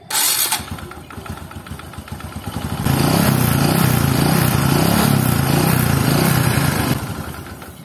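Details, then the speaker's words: Honda Supra underbone motorcycle engine: idles with a light uneven tick, then a rattly trek-trek ticking when throttle is added. Possibly a loose or worn connecting rod or worn bearing, unconfirmed. "tambah gas itu suaranya ada trek trek trek itu bisa jadi kondisi dari stang seher nya sudah mulai oblak atau sakitnya sudah mulai aus"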